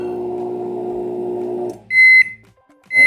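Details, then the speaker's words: Philco PMS24 microwave on 220 V, while heating: a loud, steady buzzing roar from the magnetron, then cancelled with beeps. The magnetron is being repaired. "Esse é o barulhão que ele faz tá roncando o magnetron mais uma vez cancelando"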